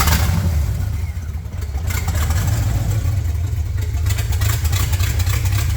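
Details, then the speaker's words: Rough idle through an open header on a freshly built chassis: loud, low, uneven lumpy beat that never settles, though it keeps idling; cause of the rough idle unknown. "it's pretty quiet given it's an open header the idle doesn't sound great I mean it's idling fine now"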